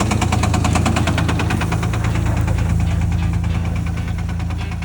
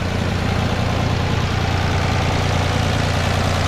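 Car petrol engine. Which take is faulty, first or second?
first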